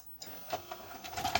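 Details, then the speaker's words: 1984 woodgrain Panasonic PV-1331 VCR switching into a mode while trying SLP: sharp mechanical bangs, clunks and clicks in short bursts, typical of these older Panasonics; normal mode-change clunk. "let's try some slp i love that bang sound that these older panasonic's make when they switch into a mode"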